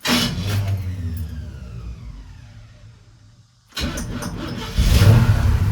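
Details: Freshly restored 1972 Chevy C10 Cheyenne V8 with headers and ATI distributor: fires, revs and dies away, then restarts and settles into deep even rumble with clean blips; healthy.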